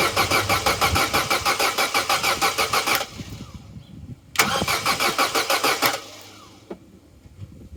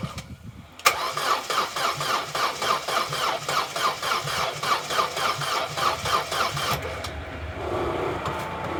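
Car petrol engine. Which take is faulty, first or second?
second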